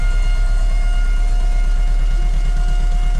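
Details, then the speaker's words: 1994 Chevrolet Monza GLS, first start after 19 years stored, owner suspects low fuel pump pressure and may replace pump: constant high-pitched fuel pump whine over a lumpy, pulsing idle, dirty exhaust. "tá fazendo uns barulhos ó o barulho estranho na bom aí tá [Música] no escapamento lá atrás que tá fazendo mas ó o barulho que a bomba tá fazendo"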